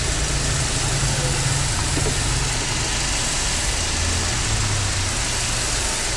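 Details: Mercedes (fault P23xx00) that shook and stumbled on cold morning starts, after engine ECU repair: even, settled four-cylinder idle with no shake, stumble or misfire; normal smooth idle.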